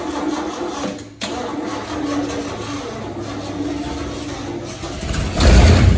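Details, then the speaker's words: 1969 Ford XL GT convertible, factory 429 big-block V8 with 4-speed, on first start with the throttle worked by hand. It runs lumpy and uneven with a loping stumble, ignition timing not yet adjusted. "No, timing's not done properly. It'll be It'll be very close, but not quite right."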